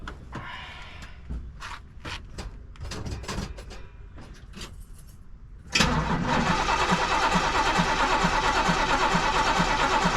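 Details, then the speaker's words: 1973 Camaro RS V8, not started in a while, fuel confirmed in tank: after some quiet handling it catches near six seconds and settles straight into a steady, even V8 idle; healthy start. "[Music] it started not too difficult"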